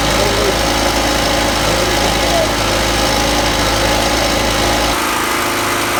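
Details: Champion generator, a Honda-clone small single-cylinder, on its first start after the carburetor was replaced with an aftermarket unit: putters along at a fairly even idle with no surging or hunting. Running normally.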